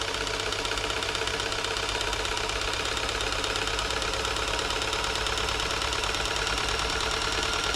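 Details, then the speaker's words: New Home 641 sewing machine, seized from drying out in loft storage, freeing up after WD-40 oiling: motor now turns it, with rapid, even mechanical ticking running steadily and getting faster and looser as oil gets in. "I think we're at the point now where the mot motor will turn it got starting to it's loosening up there she goes can hear it now getting faster and faster that's all the oil that I've worked into the points looser and"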